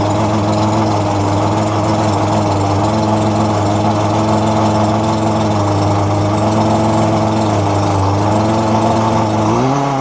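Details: Roadside-found McCulloch two-stroke strimmer after its fuel lines were replaced. It gives a steady, even buzz at one pitch with no misfires or surging, running cleanly.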